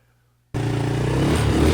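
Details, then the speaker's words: Cheap Can-Am DS90 quad after long storage: tank flushed, corroded carb cleaned, choke freed, oil-saturated air filter cleaned; engine catches sharply and settles into a steady, even buzzing run with no knocks or misses; sounds healthy. "Get out here and rip around some. Listen to this thing sing."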